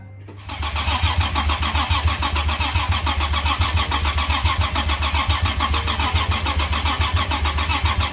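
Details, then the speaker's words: 2007 Toyota FJ Cruiser engine, first start after being rebuilt and reinstalled with the transmission: starts on the first try and settles to a steady, even idle with no knocking or tapping; normal start and idle. "yes we've reached another milestone we got the engine back up and running hello guys so there it is basically it's done it's running good now"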